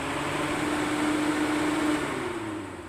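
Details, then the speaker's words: Volkswagen Golf 2 that overheats and stalls because its two-speed radiator fan won't switch on; fan powered directly via jumper wires, ignition off; steady whirring hum with even low tone, running smoothly at first speed. "Це перша скорость це друга скорость чи друга швидкість"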